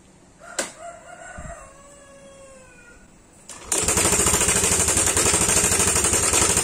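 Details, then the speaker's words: Yamaha Aerox scooter, apparently third tensioner failure: after a rooster crows, the engine starts into a fast, sharp metallic clatter over idle; cam chain tensioner failure rattle, to be replaced with a homemade manual tensioner. "buat kalian yang belum tahu kerusakan Tensioner Seperti apa kita akan nyalain dulu motor Yamaha aerox saynya kita dengarin suaranya"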